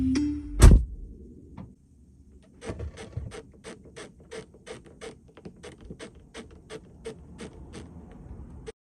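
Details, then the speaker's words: VW ID.3 electric car cabin over humps, mainly on the left tires and especially the rear: a run of dry creaks about three a second, like an old door opening; the roof is creaking, with movement seen between the glass; cause not confirmed. "oh the problem is um when i go over humps with my left tires particularly the back tires i start to hear the squeaky sound like when you're opening a door that's not been opened for a very long time and it goes you know it's so annoying"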